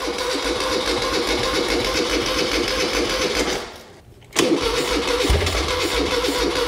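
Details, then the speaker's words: 1975 Moto Guzzi 850T sitting over 10 years, cranked with two-stroke fuel mix squirted in: the starter churns, catches briefly with a few ragged fires, dips, then cranks again. It won't keep running. "on let me give it a little bit more fuel let's try this again plugged in come on oh that wants to run it's gonna sound awesome"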